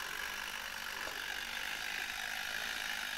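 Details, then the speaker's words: 1972 Zelmer SC hand dryer, cover removed, spring-wound automatic timer (about 2 minutes) unwinding and pushing the lever while circuit powers fan motor and bulb holders: light, fast, slightly uneven ticking about three per second over faint hiss. Normal. "I w tej chwili powinien być tutaj połączony obwód, powinien płynąć prąd zasilający zarówno silniczek, jak i te oprawki żarówek. Natomiast w momencie, kiedy ta dźwigienka dojdzie tutaj do końca, to jeszcze chwilę potrwa."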